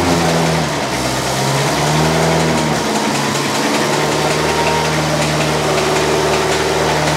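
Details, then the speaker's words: Ferrari V8 in an Alfa 105 (Alfarrari), warm idle after refitting: rapid, uneven knocking about four a second over the idle as a loose timing belt slaps; owner fears the engine was killed. "something doesn't sound good something sounds bad something sounds sounds very bad oh that doesn't look good what is that okay no no no no why is there a loose timing belt"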